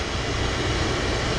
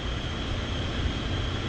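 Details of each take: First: Oil-fired furnace burner at -15°F after refilling the low fuel tank and bleeding the line until fuel runs clear with bubbles about 99% gone: steady even roar, no sputter or dropouts, firing cleanly; expected not to trip offline again. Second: Oil-fired furnace burner at -15°F, reset after tripping; low fuel tank let air into the line, so the nozzle is not spraying steady, with white cloudy air bubbles: roar with slightly pulsing, unsteady flame note jumping louder partway in; expected to trip again.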